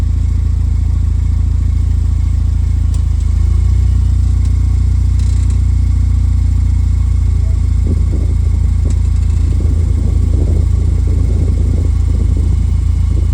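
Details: 2007 Pontiac Solstice GXP after swapping in a used rear differential, on a lift in reverse with wheels turning: steady low drone, no whine, grinding or clunks from the rear end; sounds fine.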